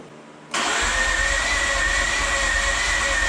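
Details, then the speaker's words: Mazda RX-8 rotary, first start after rebuild, low battery boosted with jump pack: steady fast cranking with thin whine, no firing, fuel smell; spark plugs found soaking wet, deflood procedure needed; flooded engine. "Ooh, I can smell the gas. Let's deflood and try again. Yeah, just taking a look at the spark plugs. They are soaking wet."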